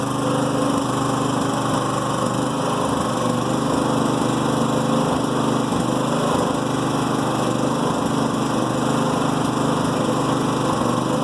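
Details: New Firman generator idling in Eco mode at light load: uneven stumbling beat with occasional misfire pops or slight backfire over a steady drone; rough idle, reduced out of Eco mode or under load.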